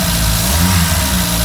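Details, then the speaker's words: Reliant Supervan 3, petrol engine refitted after electric conversion, fresh oil, cold, on choke (carburettor setting not right), no cooling fitted: smooth, even low idle, no ticking or misfires; fault was the coil. "but that sounds like a nicer engine that we've got fresh oil in it"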